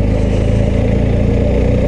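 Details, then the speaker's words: BMW R1250GS ShiftCam flat twin with shifter, ridden at about 10 °C, 1500 rpm in fourth gear under load: deep, even thumping with slight vibration but no knocking; pulls cleanly, normal low-rpm running. "Ouais, c'est un flat twin, un bicylindre qui est quand même souple. Là je suis à 2000 tours en quatrième. Bon, ça vibre, ça cogne pas, hein."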